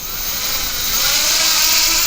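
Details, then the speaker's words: Floureon 250 FPV race drone powered on and armed after a crash, low throttle lift-off: steady even high-pitched motor buzz with no rattle or dropout, all motors working normally. "it seems it seems fine actually all the motors are working"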